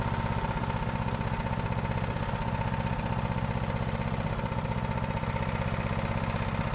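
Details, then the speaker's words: Honda GX390 single-cylinder engine running on Predator 301cc parts, with the valve just sorted, choked, and carb bowl still leaking: steady, even putter at one speed with no ticking or misses; normal running. "all right guys we got that gx390 up and running um i'd use quite a bit of parts for my 301 to get it going"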